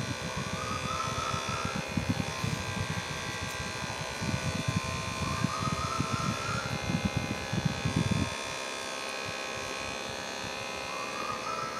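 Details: 3D-printed mini turbine scaled about 60%, tiny RC helicopter motor at about 1.5 volts: thin, even motor whine with fan buzz that steadies and softens near the end; spinning smoothly.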